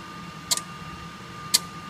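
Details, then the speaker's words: Phase-changer AVS single-phase to 400V three-phase converter, mains input being pulled down (about 200V to 150V), output held just over 400V under load; steady electrical hum with sharp tap-changer clicks stepping through tapping points, running normally. "you can hear the clicking as it changes through tapping points"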